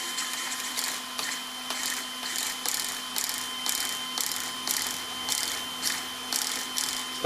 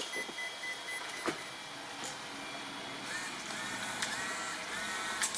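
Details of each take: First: After swapping in an upgraded servo on a ZD Racing Hoonigan Mustang EX07 1/7 RC car, replacing the slow stock steering servo: quick, crisp whirring bursts roughly every 0.6 seconds as steering snaps lock to lock; normal, fast servo operation. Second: ZD Racing EX07 1/7 scale Hoonigan Mustang RC car, stock steering servo sweeping wheels side to side with faint high-pitched whir in drawn-out bursts; servo too slow for drifting, to be replaced.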